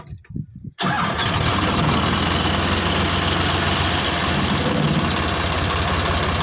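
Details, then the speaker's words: Eicher 557 tractor in neutral with PTO gear out: quick catch after brief cranking, then steady even diesel idle chug with no knocks or rattles; engine sound healthy, normal start and idle. "Engine का sound सुन लो। इंसेंट का sound बिलकुल बढ़िया है। कोई दिक्कत नहीं है।"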